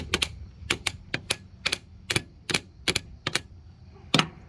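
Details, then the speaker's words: Older John Deere LT150 mower: sharp dry clicks, often in pairs, about two per second with no engine turning over; starter clicking, no crank, starter windings believed dead, new starter to be ordered. "I do believe that the windings inside this guy have died"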